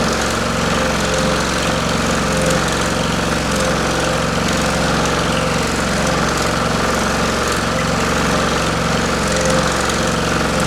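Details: Pullmax-style machine with plastic thumbnail shrinking dies on its finest hit setting: fast, even reciprocating ram hammering over steady motor hum, no irregular knocks; normal operation.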